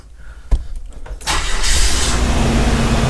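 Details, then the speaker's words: 2002 Nissan Xterra off-road camper build after a breakdown, fuel pressure only about 10 psi (30–40 needed), restarted after fuel-system repair: under a second of cranking, then catches into a steady, even idle; clean start. "listen to her purr I'm not even kidding when I say this took like a month"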